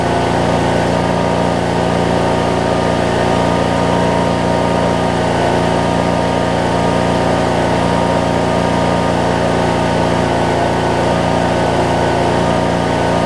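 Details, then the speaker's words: 2007 Craftsman LT2000 riding mower, Briggs & Stratton engine, after backfiring-on-start issue: steady, even idle about three pulses per second, no misses or pops; runs and drives good. "Alright. Runs good. Drives good."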